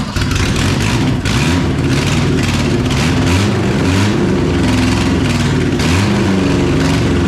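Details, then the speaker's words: 1974 Toyota Celica GT 18R four-cylinder, straight pipe, no radiator, after carb jet and tube cleaning: lumpy, uneven revving that mostly runs on three cylinders, only briefly all four; owner attributes it to an intake manifold vacuum leak. "now it was only hitting all four momentarily there a couple times otherwise it was three but I think that that's just that intake leak"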